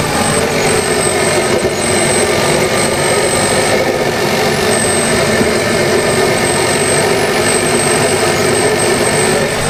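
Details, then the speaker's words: 2013 Kia Pro_ceed GT engine running, owner suspects over-fuelling and running rich with black spark plugs; thin steady high-pitched whistle over the engine, suspected air leak, to be smoke tested before removing injectors. "now I don't know how well that came across on camera but there's a really high pitched noise which we are thinking might be an air leak"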